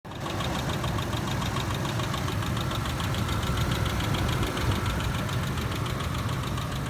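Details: 2007 Ford Explorer Sport Trac petrol engine at idle, making a fast, regular ticking-knock over a steady low rumble. Engine knocking noise at idle, cause unknown.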